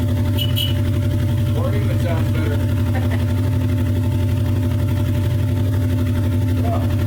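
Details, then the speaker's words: Suzuki GSX-R 1100 four-cylinder with Mikuni carbs just cleaned, after sitting 12 years with rotten fuel: low, steady idle with an even pulse, no stumble or hunting; settled and healthy. "I don't believe it sat for 12 years had rotten fuel all through it and fired up and runs reasonably well"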